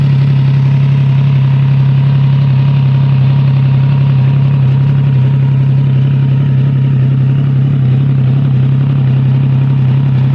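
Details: Triumph Trident 660 triple, cold start, unfiltered exhaust sound: deep steady idle growl with a faint light rattle underneath; owner asks whether it is normal, cause unclear.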